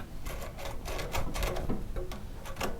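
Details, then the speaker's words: Plow tractor starter, turned by hand in cold weather: uneven gritty crunching and clicking about three to four per second; rusted starter Bendix drive worn from wear and past hammering. "you can see this starter has gotten some wear and tear on it"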